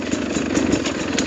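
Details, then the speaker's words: 2021 Sherco 300SE two-stroke with Lectron Billetron carb, descending mountain trail hills: steady crackling idle with even pops, no hunting, not wanting to stall; strong normal idle. "So the idle is really strong with the Lectron. You can hear it going down these hills, not wanting to stall at all, it seems."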